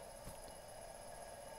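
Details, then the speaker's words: 1964 Majorette DD201SS transistorized stereo record player, VM 1200 series changer motor (previously frozen) warmed up, drawing 12.6 W, 180 mA: steady drive hum with irregular soft thumps while coasting from a rock-hard rubber idler. "let's see how it coasts I'm happy with that as you can hear the idler is rock hard"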